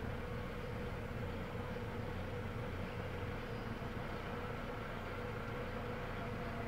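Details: Petrol engine idling rough with an uneven, pulsing low rumble from a misfiring cylinder, tachometer needle twitching.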